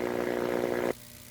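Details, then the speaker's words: High-voltage lab transmission line conductor at about 63 kV RMS producing corona: steady harsh buzzing hiss with coarse crackle, audible to the ear without detection equipment. "this noise you can hear now is basically an audible noise which is without any detection your human ear it can easily detect this noise this Corona discharges from the transmission line"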